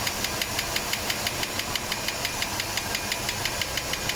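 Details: 1987 Mercedes W126 560 SEL V8 at idle, rocker cover on, some oil smoke: sharp fast metallic ticking about three per second over smooth idle; owner suspects worn camshaft needing replacement or regrind, not confirmed.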